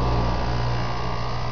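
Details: Heat pump outdoor unit after replacing bad fan motor: steady low electrical hum with even fan rush, no rattles or scraping; running smoothly, though compressor short-cycled a few times at startup, owner suspects failing capacitor.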